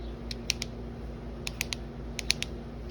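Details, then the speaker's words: Mitsubishi 3000GT VR4 manual transmission: sharp light clicks in quick groups over a low hum, heard in gear and stopping when the clutch is pressed; traced to a worn secondary shaft, with a shot end-case bearing giving a gravelly sound. "that clicking is what i heard i heard that clicking and every time i clutch in it would stop and then put it in gear and you'd hear it clicking"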